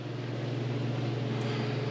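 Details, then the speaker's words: Garage heater converted to propane, burner just switched off with the flame out: only a steady low hum and smooth airflow as the fan keeps running to cool the tubes, no rattles or bearing noise. Normal fan run. "And the motor's just running. The fan is still running to keep the tubes cool."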